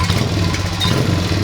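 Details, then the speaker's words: 2003 Honda XR50 modified pit bike: single runs with a fast, even putter, no stumbling or bogging, idling very high before the idle screw is backed out. Normal running after fix. "wow that sounds much different than it did before doesn't oh yeah all right so come on in here a little more intimately it's idling very high"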